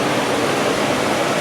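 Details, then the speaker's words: 700HP supercharged C10 electric radiator fans switched to high speed, with a relay changing them from series to each running on its own 12 V: steady even rushing whoosh with no rattle or wobble; fans running normally. "So, let's turn on high speed. There we go. Oh, oh yeah. That's some high speed fans. Should have no problem cooling this thing down."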